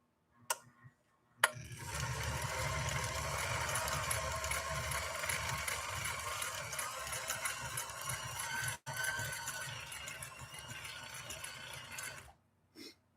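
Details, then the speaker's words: Nordic-Husqvarna Automatic sewing machine running with the slow gear pulled out, motor speed reduced by gear reduction; steady even whir with a soft regular tick, no knocks or grinding: normal running in slow gear. "You'll hear that it's ratcheted that motor speed down with a gear reduction."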